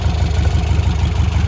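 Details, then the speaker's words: 1957 VW Oval, freshly built 1800cc air-cooled flat-four after an engine swap and swing-axle conversion, back from a drive. Steady, even low idle throb with no knocks or ticks; good oil pressure, and the valves still need adjusting. "Tenemos buena presión de aceite. Sounding really good. Suena muy bien."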